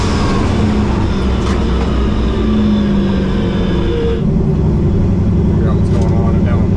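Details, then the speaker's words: 2000 Camaro with a turbo 5.3 Gen 3 iron block, L33 internals, 243 heads, stage 3 cam, 98mm turbo and X85/methanol fuel, down on power after racing. Deep V8 rumble gallops lopsidedly with one cylinder dropping out: a bent exhaust valve, no compression. "Does it sound like down a hole? >> Yeah. >> Okay. That's what I wondered. Uh, I can hear it galloping right now."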